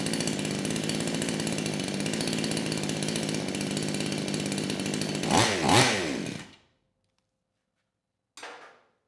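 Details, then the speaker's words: Used 58cc Chinese Kraftworld KW-5800 chainsaw, previously run on straight fuel with low compression suspected, started with choke on and throttle locked; steady buzzing idle, clean crisp rev-up, then shutoff; engine runs properly, clutch still needs replacing. "and that's all I needed to hear the saw it is idling properly it's revving up it's doing what it should do"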